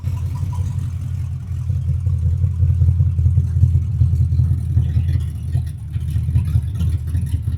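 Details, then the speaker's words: XW Ford Falcon 5-litre EFI V8 with 3-inch straight-through exhaust: deep, lumpy low rumble at steady idle, loud open exhaust note, no knocks or rattles; healthy idle. "Beautiful. 5-litre EFI."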